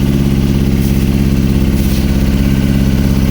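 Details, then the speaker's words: Yamaha R6 Valentino Rossi edition idling with an uneven, lumpy pulse, not reaching high RPM with heavy misfiring; one of four cylinders dead, its spark plug wet while three are dry; spark plug issue, filter also cleaned. "Work ಆಗ್ತಾ ಇದೆ ಒಂದು work ಆಗ್ತಾ ಇಲ್ಲ"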